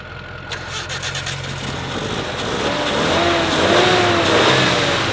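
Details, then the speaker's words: 1986 Ford F250, likely a V8, just started, in 110° heat: catches and revs unevenly, stumbling and surging instead of settling; runs poorly, and the crew hopes it will clear up; cause unknown, fuel pump location uncertain. "it's running let's go home he just revving it will it still run if you let off yeah all right oh heck yeah might need I mean it's not running good not [Music] fine it'll clear up"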